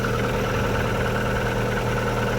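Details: MG ZS started after thermostat housing repair (a part had been fitted instead of the thermistor), checking for leaks while it warms up; catches and settles into a smooth, even idle with no knocks or ticks, running normally.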